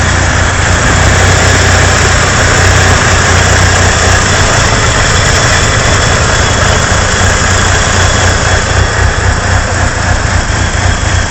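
Steady deep idle with an uneven lope, roughly three to four pulses a second that never settle; a rough idle.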